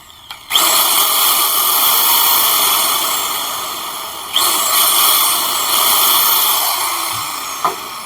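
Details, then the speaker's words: 7-inch circular saw repaired after it would not switch on or turn (armature replaced), run with the blade removed: motor spins up to a steady high whine with no brush sparking, working normally. "ไม่มีประกายไฟขึ้นนะครับแสดงว่าใช้งานได้ตามปกตินะครับ"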